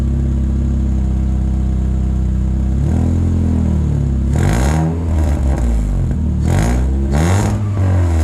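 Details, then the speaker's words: Vauxhall Corsa B Sport X16XE with no catalytic converter fitted: a steady deep idle, then quick clean revs with a raspy, open exhaust note; it pops and bangs on the road. The engine sounds healthy. "so yeah it sounds good it's raspy uh when you take it out it pops and bangs and all of those osmo things that no one likes"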